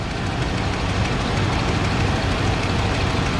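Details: 1995 Ford F-150, cold start after replacing the throttle position sensor, exhaust vented outside: steady even low rumble with no knocks or misses that settles down to a smooth idle; engine running normally, though an exhaust leak is suspected.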